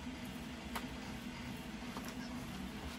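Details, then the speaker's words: Leaperkim Sherman electric unicycle after tightening the loose axle bolt that caused a fighting noise from the motor when moving forward: even, quiet hub motor hum, no knocks or rattles. Normal running after repair. "so the axle bolt has been the tightened so that noise is gone now"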